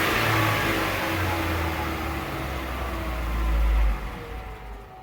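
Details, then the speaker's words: Chevrolet Onix 2015 (Prisma line), after disassembly and reassembly to fix a strange noise of unclear engine or gearbox origin: engine revs up and eases off smoothly with no whine, grind or clunk; noise resolved, normal gearbox operation. "Oi Oi galerinha e o barulho não tem mais viu como que é as frutas resolvido"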